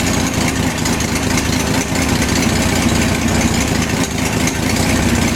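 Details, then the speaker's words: BMC Wolseley Farina 24/80 engine first run after restoration with overhauled distributor, at about 150 degrees and about 50 oil pressure: a steady, even idle, all cylinders firing, no misses. Normal idle. "so you can see it runs quite well"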